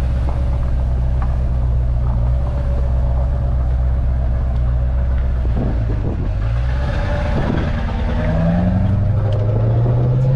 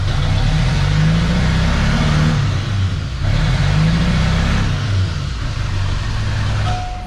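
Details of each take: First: LB7 diesel truck with a lope tune on the road: deep, steady drone pulling up smoothly through the revs with no miss or stumble; normal running. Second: Chevrolet LB7 Duramax diesel truck, hard starting, pedal floored: rough, uneven rumble that swells slowly, laggy with a pronounced misfire from an injector issue; fixed by repairing a plug.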